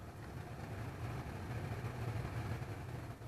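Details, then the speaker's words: 2013 Dodge Ram 1500 cabin blower after new blower motor, fan speed resistor and cabin filter: steady low even whoosh, no rattle or squeal; now runs on speed 2, which it didn't before, and much quieter. "Now, before it didn't run on 2. Oh yeah, much quieter too."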